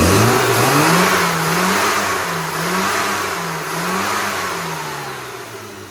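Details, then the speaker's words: Classic Mini after tuning (distributor and high-output coil checked, dashpot oil changed from 3-in-1 to 20W-50): engine revs cleanly, pitch rising and falling smoothly with no stumble or flat spots; normal revving, much more responsive. "now that sounds much better than it did before so we'll send Jones out and see what he thinks"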